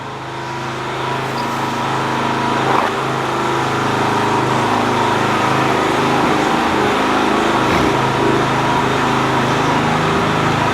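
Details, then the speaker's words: 4 kW generator under repair, loaded with a kettle rated about 2.5 kW (meter reads 2.2 kW, just over half alternator capacity): steady engine drone settles slightly lower as load comes on, then holds smooth; generator running under load. "I'm going to grab said kettle and plug it in because it kills two and a half kilowatts and let's see where she drops to"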